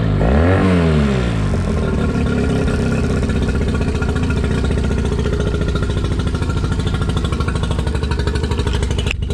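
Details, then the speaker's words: Used outboard, winterized by previous owner: catches quickly, revs rise under throttle in forward gear with good water flow, settling into a steady, even, smooth deep drone; runs properly. "forward good water still all she running good yeah it fires right up every [Music] time give it some throttle yeah it doesn't really happen too often where I don't really have to do much to these motors"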